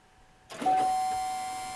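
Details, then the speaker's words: On a 2020 Chevy Silverado 1500 with the 3.0L Duramax diesel at 20,492 miles, after a fuel filter change, a click is followed by a steady mid-pitched electric hum as the fuel pump primes, building pressure and purging air. "and you hear the fuel pump running basically it's generating pressure"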